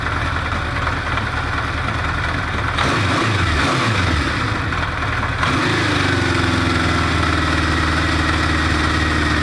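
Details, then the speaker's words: Recommissioned 1973 Honda CB500 Four at idle with air filter fitted, during an emissions check per cylinder: uneven, stumbling beat for a few seconds, then a steadier idle. The owner suspects the second cylinder from the right sputters. "That's the second from the right. That is running lead, I think. I'm pretty sure that's the one with sputters."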